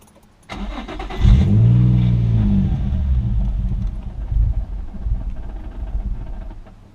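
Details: Infiniti G35 in limp mode, styrofoam piece stuck in the MAF sensor and badly clogged air filter with torn intake boot: engine catches with a surge, then revs sag and stumble, won't idle; stalling after start.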